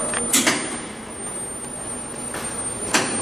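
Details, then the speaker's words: 1995 Tipton EFF-205-FA centrifugal finishing system, 1044 hours, 7 HP VFD drive, 460 V three-phase, cover off: auto cycle start with steady hum, thin whine, timer clicks and water pump running; normal. "we wait up the acetylenes you can hear it clicking water timers on the pump is on it goes for about I think it set for about 40 seconds"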